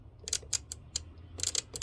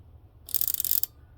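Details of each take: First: BMW E30/E36 fuel pump relay bench-tested with a 9V battery: sharp crisp clicks in irregular bursts like a good relay, yet found to be an aftermarket relay; car wouldn't start because fuel pump wasn't turning on. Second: BMW E30 fuel pump relay, an aftermarket part, bench-tested with a 9 V battery: gives a crisp burst of healthy-sounding clicking but does not power the fuel pump, causing a no-start; relay faulty.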